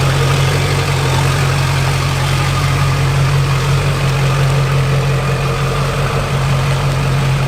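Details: Junkyard LB7 Duramax diesel, 160K miles on the motor, first start after install, in a parking lot; deep, steady idle with even low rumble, no knocks or misfires; healthy motor.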